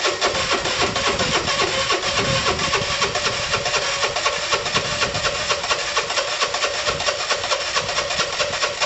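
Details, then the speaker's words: Dumped Piaggio Typhoon 125 scooter, first start attempt after only a spark plug change, took 20 minutes to start and found low on oil: catches in quick uneven pops, stumbles, never settles; seems fuel-starved, cause unconfirmed. "marry tom help me took 20 minutes to start no what i need to check for is oil in case it's dry now it started once"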